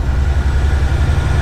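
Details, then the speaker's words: Diesel truck with Detroit engine, rebuilt about 15 weeks ago, hesitating on throttle: low rumble with uneven, lumpy pulses instead of a steady beat; owner suspects a failing injector, not confirmed. "kind of sounds like I'm losing a injector here on my truck I got a hesitation ever we get on the whenever I get on the throttle"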